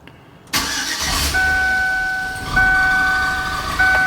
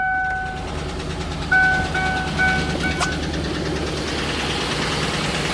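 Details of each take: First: Cammed Suburban V8 after a lifter-failure repair and DOD delete, primed first to build oil pressure, with stock manifolds, three cats and the stock muffler: it cranks briefly, catches cleanly and settles into a steady, even idle without ticking or knocking. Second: Cammed Chevrolet Suburban V8 with DOD idling: sharp, regular ticking from a collapsed lifter on one side, causing a misfire and shaking, worse in drive; fix is a DOD delete with non-DOD lifters.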